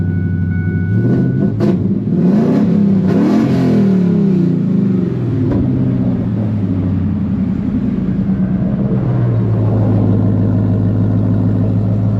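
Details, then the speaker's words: Truck with Coyote V8 swap, freshly back together and running: engine catches cleanly, revs rise and fall smoothly, then settles to an even, steady idle with no knocks or misses; sounds healthy. "Sounds healthy."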